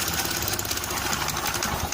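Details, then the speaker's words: Honda Beat scooter starter dynamo test; owner found a collector that didn't fit or rotate, starter sometimes working, sometimes not; quick, even whirring clatter as the starter spins the engine freely, starter working again. "one more time, OK, friends, that means we can use the starter again, or it's working."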